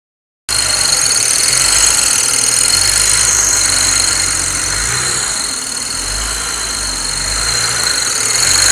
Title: 335i strange noise ?